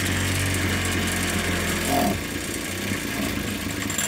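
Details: Ryobi 410 cultivator two-stroke, after swapping to a replacement carburettor because the original's primer was cracked and drawing air: buzzes along steadily with an even, unbroken beat and no misses; runs fine on the swapped carb.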